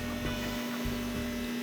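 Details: Mopar engine, around 100 degrees before reaching operating temperature, fuel pump switched on to check for leaks before first crank: steady, clean electric hum with no surging or whine; healthy fuel pump priming.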